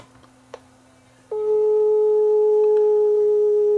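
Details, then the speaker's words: Sony TCD5M professional portable cassette deck, unused for a long time: a steady test tone plays noticeably flat, so the tape runs slow; the take-up idler is not turning and may be dragging the idler-driven capstan speed down. "okay so it's playing really slow and the take-up idler is not turning this might be related it may be dragging the caption speed down because the play is not turning and it's idler driven"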